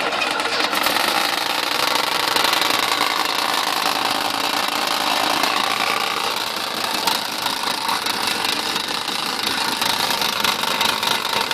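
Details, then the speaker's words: 1984 Ford F150, first start in 7 years; loud, rough running with a rattling, slapping clatter throughout, making a lot of noise. Engine slapping noise, cause unknown. "yeah cuz that's slapping around he's making a whole lotta noise"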